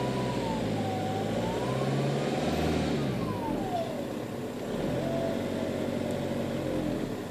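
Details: 1.9 TDI (ARL) diesel with a loud high whistle around a thousand hertz rising and falling with engine revs over the diesel drone; owner suspects turbo failure.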